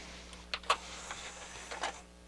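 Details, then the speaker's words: Harman Kardon HK 720 CD player after repair of tray loading trouble, reinstalled and tested: quiet motor whir with soft clicks as the tray pulls in quickly and smoothly; loading works normally. "let's um let's uh test its load function now doesn't seem to have any troubles let's try a"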